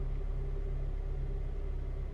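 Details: 2007 Honda Civic Si running: faint steady whine and squeal over heavy low rumble; suspected transmission or clutch source, not confirmed.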